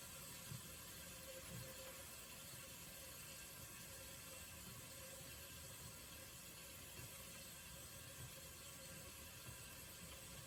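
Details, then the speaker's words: Vintage Sears Coldspot 28 dehumidifier just shut down after running; faint steady hiss with occasional soft gurgle slowly quieting after compressor stops; normal refrigerant flow after shutdown. "that's the noise of the refrigerator and it just kind of slowly quiets down"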